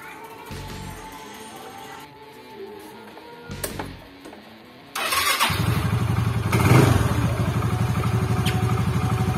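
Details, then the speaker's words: Yamaha Xeon GT125 scooter that had been hard to start, after its spark plug was cleaned and sanded: the engine starts instantly on the electric starter and settles into a steady, even idle. "oke Guys Alhamdulillah langsung tokcer guys distater aja dia langsung hidup"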